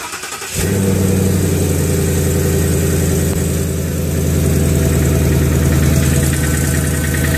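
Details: Engine catches and settles into a steady idle with a light, fast metallic rattle riding over it; the source of the rattle is unclear.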